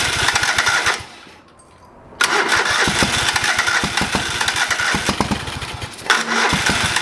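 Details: Old lawn mower being revived, first start after carburetor rebuilt and fuel added to the bowl: small engine pops and runs ragged, drops out a second, catches again and runs unevenly; reluctant to start and settle.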